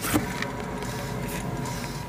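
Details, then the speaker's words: Rear left hub bearing on a 14-year-old Citroën C1 with 220,000 km, wheel spun by hand with the car on stands: a dull, steady low rumble, not brake noise, though no lateral play is felt; the right rear is quiet. Worn wheel bearing. "je crois qu'on a trouver le coupable on entend bien c'est pas un bruit de frein c'est un bruit"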